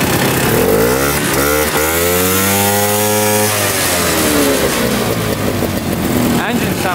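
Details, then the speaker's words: 1960s Ski Daddler snowmobile with worn drive teeth: a buzzy two-stroke note climbs and falls smoothly as it moves a little and slows, firing evenly, and it restarts readily: normal running. "oh we moved a little bit at least we got to drive it and uh starts right back up"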